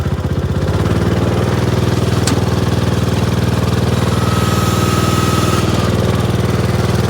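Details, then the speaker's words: Gravely tractor in snow, in neutral after topping up low hydraulic fluid with multi-grade ATF: steady, even idle thump about four beats a second, a faint whine briefly joins; hydraulic lift works, fixed. "All right, let's put this dipstick back in and fire it up and see if we can lift it."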